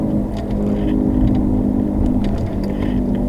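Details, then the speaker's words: Front wheel bearing on a 2007 Subaru Legacy, replaced the previous November, heard while driving: a droning hum over engine and road noise that changes when the wheel is jerked left, pointing to the inner half of the wheel bearing. "So that tells me that's the inner half of your wheel bearing."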